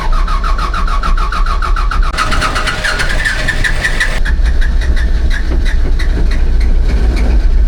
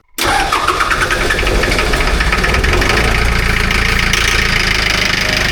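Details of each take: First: Diesel amphibious ATV, glow plugs run on a 5-second timeout, about 70°F outside; long, uneven cranking with pulsing starter whir before it catches weakly and runs rough, hard starting. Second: 3-cylinder diesel amphibious ATV after a failed glow plug was welded shut; fires almost instantly into a steady, even diesel clatter without long cranking, starting way better than the first time.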